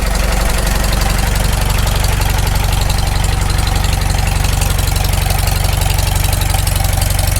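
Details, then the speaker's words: Farmall Super M tractor just after full engine rebuild, first run, warming up, no oil leaks seen: steady even low thump at slow idle, no misses or knocks; normal idle. "well we're just going to let this run out here for a bit we want to get plenty of heat put in it"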